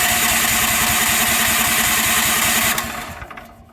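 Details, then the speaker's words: Predator 13,000 W tri-fuel generator, first start on propane out of the crate: the engine fires and chugs unevenly at about two and a half beats a second, then dies; hard start from air in the propane regulator line. "sitting in the crate, there's just a ton of air in this regulator line going all the way through into the actual propane natural gas regulator. So it will take several times of turning this thing over to get it"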